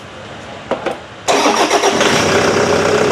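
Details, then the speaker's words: Toyota Vigo 1KD diesel after an injection pump rebuild (plungers, O-rings, seals), before the cover is refitted: short crank, then it catches at once into a steady even clatter; it starts easily, fixing the crank-no-start. "โอ้โหมันติดง่ายจังวะ"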